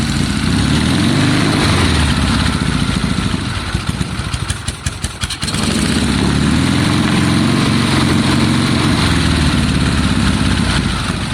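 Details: 1972 Triumph Bonneville T120 parallel twin, Mikuni carbs, kick start, first start attempt: loud twin thumps at fast idle, stumbles and thins out a couple of seconds, picks back up; uneven running, cause suspected, not confirmed.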